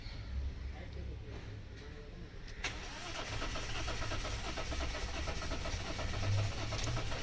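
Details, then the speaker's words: Mahindra Bolero BS6 diesel cranking on the starter at an even four beats a second without firing; scanner shows no fault codes, and rail pressure does not build while cranking, so the high-pressure fuel pump is blamed and removed for replacement. "यहां pressure नहीं बन रहा है। Pressure नहीं बन रहा है यहां पे।"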